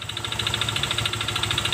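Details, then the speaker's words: Honda Vario Techno 125 FI scooter idling with CVT removed, rough noise persists: rapid sharp metallic rattle over idle, loud; mechanic suspects loose piston or worn connecting rod, engine to be opened. "terdengar nyaring sekali ya teman-teman ini tanpa cpti bunyi kasarnya masih ada berarti ini motor yang kena atau yang rusak di bagian mesinnya"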